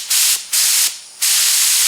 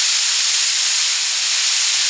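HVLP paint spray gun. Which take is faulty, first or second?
first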